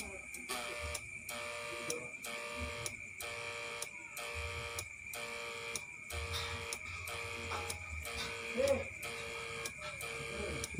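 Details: Repaired electric-shock (setrum) unit, tested after repair: steady high electrical whine pulsing on and off about every half second in a quiet room; running normally.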